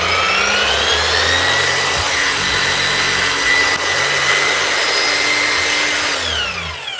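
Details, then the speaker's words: Bosch electric mower after repair and oil top-up, air deflector checked so fan doesn't rub: smooth even motor whine at full speed, no rubbing or scraping, winding down cleanly; runs healthy. "That's her, up and running."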